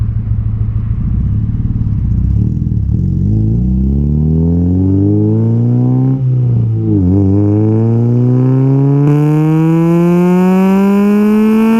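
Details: Honda K20A2, first drive, taken to 8,000 rpm first through third: repeated clean rising sweeps with gear changes between, smooth strong exhaust, no knocks; possible O2 sensor or relay fault noted; healthy engine revving.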